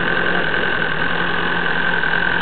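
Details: Cold diesel idling just after a fuel filter change, smoking as always when cold, no leaks: steady high-pitched whine over the engine note, never heard before; idle won't hold and won't rev above 1200 rpm, owner suspects the pump.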